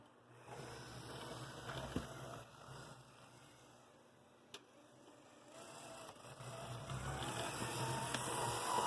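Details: AC Gilbert Alco diesel model locomotive running slowly on track with its shell off after the drive shafts were installed: a soft, even motor hum with a light regular gear whir. Drive runs smoothly; the noise comes from the shell.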